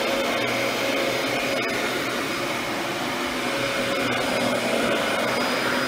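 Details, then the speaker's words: Mid-2000s Dyson DC14 Animal upright vacuum after cleaning and service, now reassembled and working perfectly; steady, even motor hum with a constant whine and no surging, rattling or scraping, running healthy. "I was worried that there was some plastic parts I was actually gonna break one servicing this thing but it is now back together and working perfectly"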